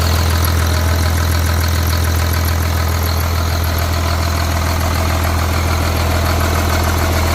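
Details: Cat C7 diesel, freshly overhauled, test-run on the ground: steady, even idle with a deep regular beat about three or four firings a second, no knocks or misses; normal idle.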